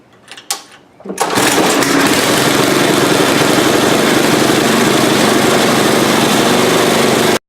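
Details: Tecumseh Snow King 8-10 hp snow blower after carburetor replacement, primed and choked: a couple of pulls, then it catches and settles into a steady, even high-pitched run with no misses or surging.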